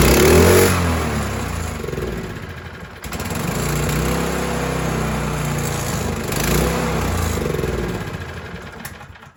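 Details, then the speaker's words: Craftsman snowblower after carburetor cleaning, just started with choke on: revs sag and pick back up every few seconds; surging, may clear on warm-up or from bad gas left in the fuel line, not confirmed. "Now you hear that little bit of surge. Sometimes as they warm up that'll go away. Sometimes that can be uh some bad gas left in the fuel line."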